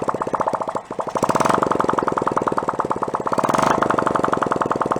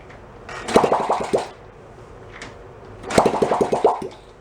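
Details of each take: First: 1972 Honda CT70 Trail 70, stored non-running about 20 years, after carb cleaning, battery charger no longer supplying 6 volts: crisp rapid popping from open exhaust, even and steady with gentle throttle swells; small single runs cleanly until out of gas. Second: 1972 Honda CT70 Trail 70, stored 20+ years, carb cleaned, no muffler, choke set uncertainly, fed from hanging fuel bottle: two short bursts of sharp pops then quiet; fires and sputters but won't keep running.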